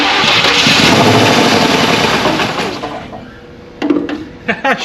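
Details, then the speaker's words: 1967 Buick Riviera, not started in 20+ years, on original parts, run on starting fluid sprayed into the carburetor with the fuel presumed bad. It catches with a loud rough roar for about three seconds, then fades toward a stall; it runs with no knocking. "starts and runs. Let's see how long we can keep her going here."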